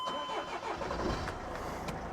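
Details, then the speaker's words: Newly acquired Mercedes Vito diesel started with foot on pedal; starter whirrs briefly, catches cleanly and settles into a steady even idle, no knocks or misses, no dashboard warning lights; normal engine start. "No lights on on the dashboard. No faults, no problems. She's really nice."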